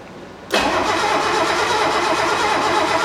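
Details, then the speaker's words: 1969 Mercedes donor car, engine untested, points not serviced: strong, even cranking at about three turns a second that never catches; the test light at the coil shows no light, so no spark is suspected. "Hopefully, we'll have a little light right there. Let's just see. No, there's no light."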